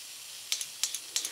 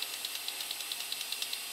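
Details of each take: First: Toyota 22RE fuel injector being tested and cleaned with Seafoam before rebuild: three sharp hissing squirts about a third of a second apart, like milking a cow, with a clean spray pattern; normal injector spray. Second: Toyota 22RE fuel injector, bench-tested: faint, rapid, weak clicks; it only dribbles with no spray pattern, so it is defective.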